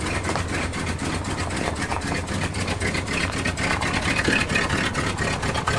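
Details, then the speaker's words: 1974 Ford F-250 Highboy V8, carbureted, EGR plate reinstalled and PCV port plugged, cold start without choke manipulation: steady even low burble idle, no hunting or stumbling; running healthy. "the truck was now idling from a cold start with no choke manipulation at all"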